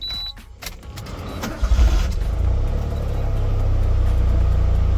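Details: Car inspected at a Japanese auto auction: a brief crank catches at about 1.5 seconds and settles into a steady, even idle. A normal, healthy start.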